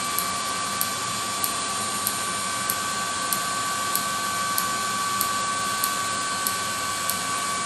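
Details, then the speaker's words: 30k BTU multi-fuel personal cab heater on an M35A2 deuce and a half, start button held during start-up: steady fan roar with crisp even ticks about every 0.6 s, the fuel metering valve spraying fuel into the combustion chamber; normal. "so what i'm gonna do is i'm gonna hold this down and you hear it start spinning and that clicking is the fuel metering valve spraying fuel into the combustion chamber"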